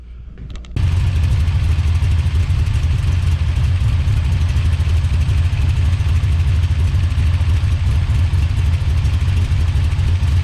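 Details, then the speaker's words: Big-cam big-block Chevy with a rebuilt Holley 750 double pumper, after carb and timing tuning, cooling fan rigged to run: catches and settles into a strong, steady, even low rumble with no misses; normal idle, best it has run in a while. "all right I've got to rig the fan to run for right now but that's the best this thing has run in quite some time"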